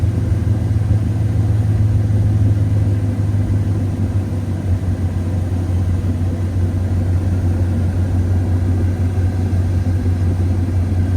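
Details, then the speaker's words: 2007 Dodge 4.7 V8 with intermittent idle surge, after PCV valve replacement and throttle body cleaning, not yet fully hot: deep, steady rumble idling evenly at about 700 rpm after dropping from 1,000, no hunting or surging; normal idle. "Anyway, dude, it's idling right at 700."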